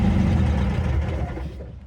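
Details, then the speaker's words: Eagle SS 80s gullwing kit car, revived after decades abandoned: loud, rough engine at a raised steady idle, well above normal; idle screw fully backed out yet still idling too fast, running and driving without fuel leaks. "So, the car is running. It's driving. It's not leaking fuel, which is all good. It's definitely idling pretty high."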